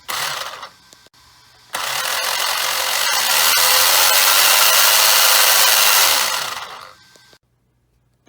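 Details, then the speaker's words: Traxxas 10th-scale 4x4 Slash after a spur gear replacement, slipper clutch tightening and gear mesh setting, at light throttle: the motor whine rises smoothly to an even high pitch and winds down, with no skipping or clatter. Drivetrain is healthy. "so if everything sounds and looks good nothing's skipping it's all doing great"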